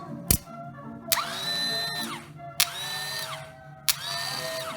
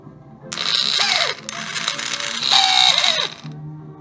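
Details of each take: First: New replacement starter motor for a TaoTao 110 ATV, bench-tested on 12 volts: three short bursts, each clicking, winding up to a clean steady whine and coasting down smoothly with no grinding; normal starter run. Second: Old TaoTao 110 ATV starter motor bench-tested on 12 volts: short whirring bursts with a high whine that wind down and stall; dead spot, bearing suspected to need lube; teardown later found an overheated, melted, fused plastic brush housing.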